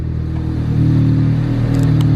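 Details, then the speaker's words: Honda Del Sol with a stock D16Z6 single-cam engine and an eBay turbo kit, during dyno tuning after the base map's 20% overall fuel was reset to zero: a steady, even low idle. It sounds smoother and less rich. "but it does sound smoother like it's not as rich"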